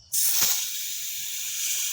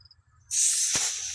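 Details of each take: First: Filling a trailer tire past 44 psi toward 49 psi; sharp steady hiss escaping at the valve because the chuck isn't seated as tire pressure pushes back; air chuck leaking at valve stem. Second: Filling a trailer tire with a compressor air chuck, tire starting at 22 psi; clean steady hiss of air going in, chuck sealed on the valve stem with no leak; normal inflation.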